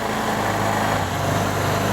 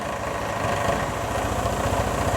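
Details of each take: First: Vespa ET4 scooter, engine warmed up, after fuel system and air filter work, drive belt good: busy, fast, even buzz with no dip or hunting; the idle is set too high and is to be turned down at the air-box adjuster. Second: Vespa ET4 scooter after idle adjustment: small single-cylinder putters at a low, even idle, about four pulses a second, steady and unlabored, rear tire stationary; idle set right, normal idle.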